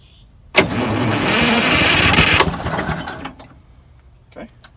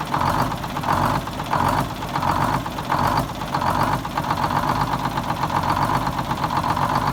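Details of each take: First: 74-year-old Greyhound bus diesel after pulling an injector tube to check for fuel: about two seconds of steady cranking with no firing pulses. Crank, no start, confirmed as a fuel prime problem with air in the line; a leak is also found. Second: 74-year-old Greyhound bus diesel started from a new start-stop box after rewiring, to check a leak: diesel clatter at idle with a slow, mild rise and fall in loudness, otherwise steady. The engine runs normally at tick-over.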